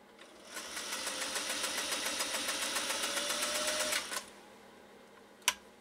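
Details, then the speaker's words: Restored Singer 500A sewing machine, previously smoking with no power, sewing 4–5 oz elk hide. About four seconds of steady, fast, even ticking of roughly three to four stitches a second with no labouring or strain; it sounds healthy. "that was super easy no strain no pain no groaning no moaning this machine just got the job done"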